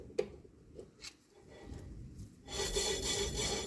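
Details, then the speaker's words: Vauxhall 12-4 front drum brake during assembly and shoe adjustment. Light scrapes, then a steady rasping rub as the drum turns, with the shoe dragging on the drum; the adjuster is being set so the shoe just touches, by feel and sound. "See, so it's about here and it's about feel. I could feel the resistance when I move this, and you can hear it."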